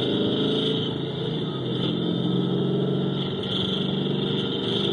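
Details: 2011 GT 5.0 V8 at idle, recorded by a technician with a microphone on each bank, amplified and switched between channels: a light, irregular tapping over the exhaust note. Knock cause unconfirmed; owner suspects piston slap, and his car makes the same noise when cold.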